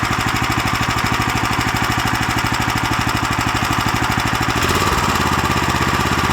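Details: New Lifan LF390QE Pro single-cylinder engine, electric start, fitted as a replacement on a flail mower: quick, even thumping with no misses, dropping slightly in speed near the end, running clean and steady.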